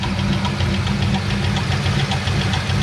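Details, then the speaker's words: Car whose squeak turned to a tick after the shifter broke, revved to about 1500 rpm and heard from outside before opening the hood: light, fairly regular tick a couple of times per second; owner thinks a lifter. Not confirmed. "all right so even before i pop the hood you guys can hear that sound like a lifter or something"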